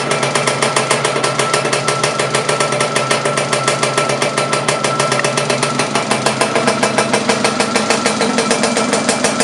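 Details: Laverda LB 125 with a Zundapp KS 125 WC engine on first starts after rebuild: crisp, rapid two-stroke popping at fast idle, about three beats a second, picking up cleanly with throttle; runs fine.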